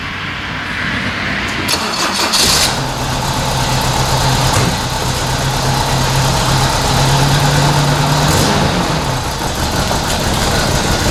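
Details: 1980 Toyota Corona Wagon, 20R 2.2 L carbureted four-cylinder, after new mechanical fuel pump, new fuel lines and fresh fuel: revving then uneven loping lumpy idle; running rich and rough.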